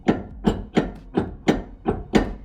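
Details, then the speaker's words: Truck hitch with trailer tongue on ball mount in the receiver: sharp metallic clunks, about seven in under three seconds, from drawbar play as road bumps and dips lift a light trailer. "es provocado este sonido muy fácil por las vibraciones las imperfecciones o los bajos que encontramos en el camino cuando nuestra camioneta pasa algún vado hacia este movimiento"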